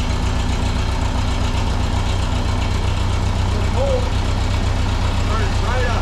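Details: 1951 Ferguson TO-30 tractor, fuel and ignition on with a little throttle: steady, even low putter at idle with regular firing pulses and no misses or stumbles; running healthy.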